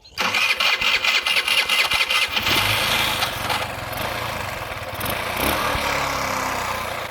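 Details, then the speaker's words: Carbureted engine after replacing missing cover rubber seal from donor carb: cranking chuffs, then catches with a wavering, uneven idle that barely holds; first hint of idle, still rough. "неплохо двигатель и начал запускаться появился намек на холостой ход"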